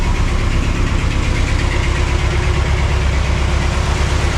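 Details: 1980 Cadillac Coupe DeVille V8, first start after six months of Minnesota winter storage, stalled first try: deep, slightly uneven lumpy idle; running a little rough just after start.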